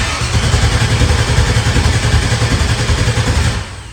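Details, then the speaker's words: LS-swapped truck that will not start; the ECU was swapped and a fuel pump wired, and it runs on ether, so the crank sensor seems to work. Steady, low cranking at about three and a half beats a second that never fires. "But we just crank and we don't fire. But if we throw some ether at it, it fires up and then it idles and it runs."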